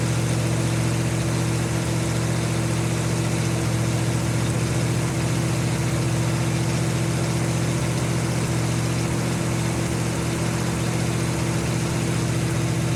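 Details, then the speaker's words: 1952 Ford F-1 finally running on first start in 28 years after carb rebuild, sludge cleanout and PerTronix ignition, choke eased: smooth, even low drone with steady beat and no knocks or misses; the old engine is idling properly. "So close. What I needed was more air, less choke. I got it running! Woo!"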